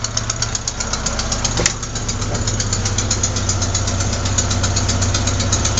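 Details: Engine at idle: sharp, fast ticking that keeps time with the idle over a low hum, not the lifters; caused by a leaking exhaust manifold gasket at cylinder 4, fixed by replacing the gasket.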